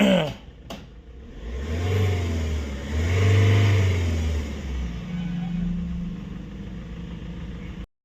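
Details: Mahindra Scorpio BS6 after timing chain repair (timing had jumped and a part broke after a push-start with throttle applied): two clean revs, even settle to idle, no chain rattle or clatter; normal revving.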